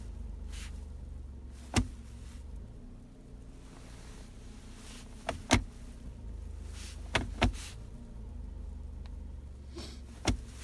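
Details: Jatco JF016E CVT at 18,000 mileage, shifting from D to R: quiet idle broken by sharp single knocks a few seconds apart on engagement. Worst in cold sub-zero weather; in summer it occurs rarely, mainly after long standing. Engagement clunk.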